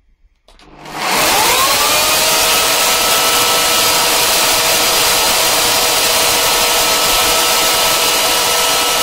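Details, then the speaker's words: 12 V 3000 W power inverter pushed beyond rating, feeding a 500 W light and 2,200 W charger, getting warm: cooling fan spins up within a second to a steady airy whoosh and even hum, no rattle or wobble; normal. "you can hear the fan running there now that's everything running light a 500 wat light and a 2,200 watt Cher"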